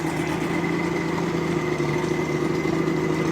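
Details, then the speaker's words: 1986 Mercury 90hp outboard after water pump replacement, run in a tub with exhaust submerged, much quieter; steady even idle burble, no knocks or misses, pump picks up water and gives a strong stream. "That is so much quieter. Holy smokes. Pick up some water. There it goes. All right, folks, there it is. Running."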